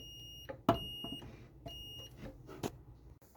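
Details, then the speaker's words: Continuity meter beeps in short bursts between probe clicks while testing the ground wire from the line filter box to the ground pin on a 1985 Pinstar Gamatron pinball machine's power supply wiring; ground path good. "Yeah, the ground wires on there good. And uh testing from there to the ground pin, we have continuity too."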